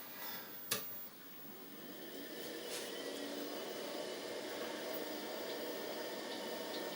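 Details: Commodore Amiga 1500 after repairing Varta battery leak damage, first power-on: a click at switch-on, then a steady fan rush as the original Quantum hard drives spin up into an even whir. A healthy start.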